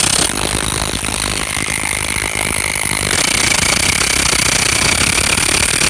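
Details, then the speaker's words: Portable pump motor hammering with a loud high squeal as it strains against pressure, then bogging and stalling after about 15 minutes of continuous running filling two large SUV tires; owner suspects overheating, unconfirmed. "but every time you could hear that loud squealing and maybe you could pick up on the video that was this stalling and um i think it's probably due to uh overheating this thing"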